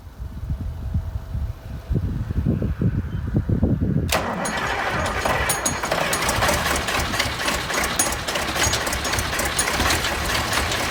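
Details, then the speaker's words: Massey Ferguson 1155 tractor diesel after priming electric fuel pump and getting fuel to filters: quiet cranking knocks, catches at four seconds, settles into steady even diesel clatter; good oil pressure, healthy start and idle. "That thing just sounds like it's ready to get don't sound too bad. I got good oil pressure. Hell yeah. That's not bad at all."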